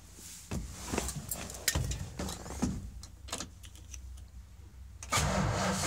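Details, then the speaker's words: 1973 Dodge W200 that sat almost a year with a dead battery, cranked on starting fluid in short bursts but never fires; owner suspects no spark, possibly a weak battery needing a charge: cranks but won't start. "that sounds like it's just not getting spark which could very well be it's not kicking off anymore starting fluid so maybe I'll just take out the battery to the charger that could do it yeah we'll try that"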